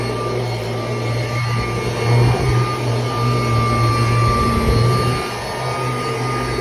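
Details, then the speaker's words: Kirby Heritage II vacuum, unused for a while and stiff, vacuuming a mattress with belt engaged: loud motor roar with thin high whine and rough fluttering, never heard before; owner suspects worn motor bearings. "it sounds horrible I don't know what that noise is it's never sounded like that before I get that the bearings on this thing checked out that sounds absolutely horrible and like it's gonna get worse"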